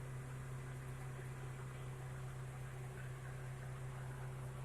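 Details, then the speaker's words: Car AC restarted, manifold gauge about 30 psi: steady low drone with even blower rush, no cycling, squeal or rattle; compressor and AC running normally. "đây máy lạnh đang chạy bình thường sẽ lạnh bạn ạ, do máy nén đang hoạt động, hiển thị từ 20 đến 40 PSI khi máy nén hoạt động"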